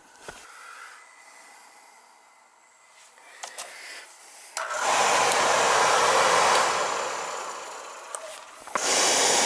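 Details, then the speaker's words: Burnham oil boiler during annual service: burner lights with a soft whoosh into a steady, even roar with no pulsing or rumble; good oil flow, healthy firing. "Getting a good oil flow there on this one too."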